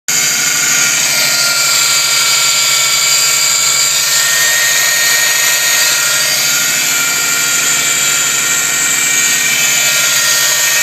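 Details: 2004 Subaru Impreza WRX STi: a loud, steady, high-pitched whirring hiss dominates the engine bay from the driver side, with little low rumble. Loud engine bay noise, source not yet pinpointed.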